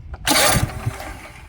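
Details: Toro TimeCutter 42-inch zero-turn mower, started with the key: a brief crank, then the engine catches with a burst of noise and a few low thumps as it fires, a normal start.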